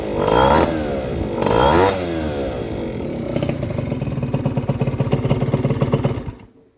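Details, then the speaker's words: Honda Vision two-stroke scooter after barrel, piston, head and crank replacement, after a little over half an hour of idle, small amount of oil added to the fuel: two clean free revs, then crisp even idle, no rattle; normal. "I think you'll agree, that sounds much, much better. And that has been a little over half an hour, and that sounds really nice."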